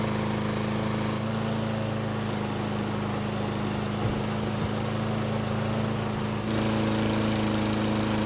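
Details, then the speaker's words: Troy-Bilt self-propelled lawn mower after repairs, hot after several minutes of running, oil slightly overfilled: small single-cylinder engine holds a steady, even beat with no misses or surging. Normal running. "It's been running for several minutes and it should be good and hot. So let's see how it starts back up."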